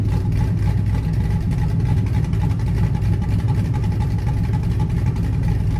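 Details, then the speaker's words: Blazer V8 with a Summit Stage II truck cam and Holley Terminator X Max EFI, no transfer case fitted yet: a deep, choppy, evenly loping idle with no knocks or misses. Idling smoothly and the AFR looks good. "i haven't had the chance to really take it out and run it because i don't have a transfer case in it right now it's idling smoothly my afr looks good"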